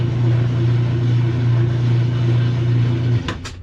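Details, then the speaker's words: Kenmore top-load washer that agitates and drains but won't spin, lid switch bypassed with a pencil: on spin cycle a steady low motor hum with no building drum swish, then cutoff and clicks; motor runs but worn clutch leaves drum still. "I turned it on the spin cycle 4 or 5 times before I started shooting this video, and nothing happened other than I could hear the motor running. I'll try it one more time. Okay, this is what it generally does. Nothing."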